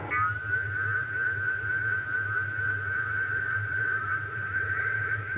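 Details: Icom IC-751A receiver with its reference oscillator slightly off frequency. A steady high whistle with a slow wavering heterodyne beat over receiver hiss; the calibrator was being adjusted toward zero beat for exact 1 kHz tuning.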